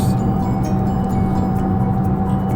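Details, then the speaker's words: 2014 Fiat 500 Pop at 55 mph, in-cabin: loud, steady low drone from suspected worn rear wheel bearings, about 74 dB before replacement vs about 57 dB after; bearings to be replaced. "55 miles per hour in a Fiat 500 Pop. And we think the rear bearings are shot, so we're going to replace those today."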